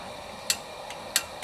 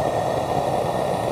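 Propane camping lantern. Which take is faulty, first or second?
first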